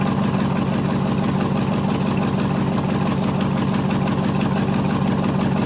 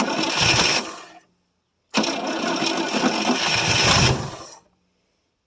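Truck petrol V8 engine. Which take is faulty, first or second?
second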